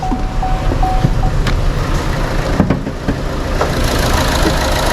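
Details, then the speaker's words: Chevrolet Sonic small turbo engine, P0300 and reduced-power warning: shakes and stumbles when revved, then revs cleaner but cuts off at 3000 rpm while parked; uneven thumping idle; misfire traced to water pooled in the plug well after engine wash. "aunque tiembla cuando lo acelero cabecea un poco y luego se escucha la aceleración un poco más limpia y se frena o se detiene en las 3000 rpm"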